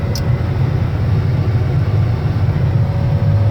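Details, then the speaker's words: 1971 Plymouth Road Runner V-code 440 Six Pack, cold start, fired first try without pumping the pedal: steady, even low rumble at idle with no misses, knocks or ticks. Normal idle. "issue. I didn't have to pump it or anything. I just hit it once and boom, fired right up."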